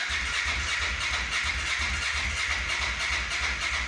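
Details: Honda NTV 650 V-twin, off the road about 10 years and first started after storage, petrol on reserve: even, lumpy low thump around three beats a second at steady idle, no knocks or misses; runs well.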